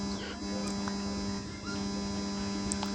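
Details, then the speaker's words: 3055 amplifier with hum: steady low constant-pitch hum, reduced but not eliminated when touching the ground point, stops fully when held in place; mains hum from ground fault, proper grounding planned as fix. "इसलिए इसे छूने से भनभनाहट कम हो जाती है, लेकिन यह पूरी तरह से खत्म नहीं होती।"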